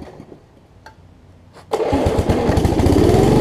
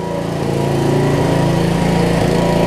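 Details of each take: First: 1981 Snapper RER riding mower after carburetor work: catches after a couple of pulls, runs smooth and steady but slightly fast; owner suspects remaining governor issue. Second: 1981 Snapper rear-engine rider with a broken governor and water in the fuel: the engine screams up to a high rev and stays there, running away. A wet spark plug also made it misfire.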